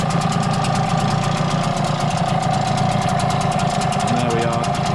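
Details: Brand-new Hangkai T6 6 hp two-stroke outboard, running in water on 25:1 running-in oil with the lid on. Quick, even popping at a steady idle, no misses or knocks; running clean, fairly smoky.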